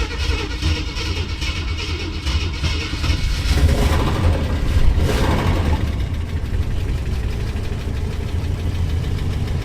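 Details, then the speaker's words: 1966 Ford Thunderbird that sat for years, after oil change to 20W-50 with oil pressure coming up: fast light ticking over a lumpy V8 idle that doesn't fade; lifter tick persists. "Let's see if that lifter tick goes away. All right, let's see if that lifter is going to come around or not. Unfortunately, I don't think so."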